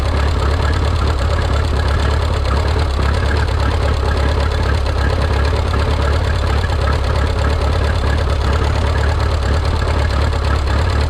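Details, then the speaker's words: Rebuilt Minneapolis Moline 335 tractor engine, warm (gauge about 140°), tappet gaps readjusted warm: loud, ragged idle with uneven thumps nearly three a second and no steady beat, firing poorly; sounds like ignition timing set too late. "But it just didn't quite seem to be firing quite right. So that's thing two."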